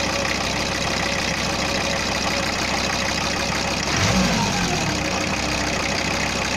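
Diesel settles into a steady idle with an even clatter and no knocks or misses; sounds like a healthy engine.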